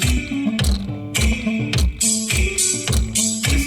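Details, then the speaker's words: 1992 Toyota Century V8 (5V-EU) original front door speakers, before replacement: bass-heavy music with a buzzy, rattling edge on each beat from blown speakers. "so as you hear they are totally rattling and as you see me i cannot drive around like that"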